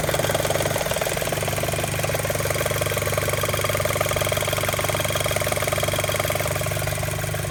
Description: Some kind of flapping sound, can't tell where it's coming from. Tried a scope, and paper towel roll... maybe timing belt tensioner loose?